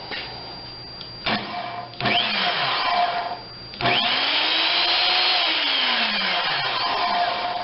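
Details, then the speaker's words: Skilsaw SPT77WML 7-1/4" worm drive circular saw (metal case, plastic handle), from a broken batch under repair: motor whines up smoothly to a steady high pitch, coasts down and stops quicker than the others, possibly more worn or less grease; no big brush sparks; healthy. "This one sounds good. It does come to a stop quicker than the other ones. Doesn't make it a bad saw, just possibly more worn or less grease."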